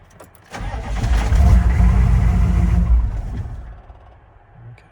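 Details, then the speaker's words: 1995 GMC 3500 HD 6.5L turbo diesel restarting after injection pump replacement, after a glow plug cycle: fires, runs a couple of seconds, then dies abruptly. Stall after restart. "and why did she shut off our water all right and that's strange all right so there's something going on here that we just haven't figured out yet seemed like it was running pretty decent when it was running there a minute ago"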